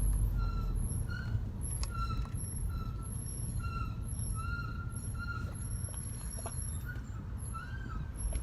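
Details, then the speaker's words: Ford Focus ST daily driven with Hawk HP Plus track brake pads: high thin squeals come and go over heavy road rumble, even when not braking; brake pad squeal. "all the time that's what it sounds like just squeal squeal every here in there and couldn't even open the window in here squealing oh"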